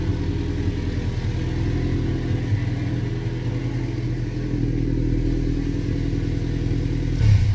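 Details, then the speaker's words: Subaru-swapped VW Beetle with twin-scroll turbo, engine just started after the swap: a deep, throaty exhaust rumble rises under revs and stays even, with no knock or rattle. The owner credits the unusual note to the twin-scroll turbo; healthy. "so sounds pretty mean it sounds really different from what I've ever heard a subaru sound like it's probably due to the twin-scroll turbo setup"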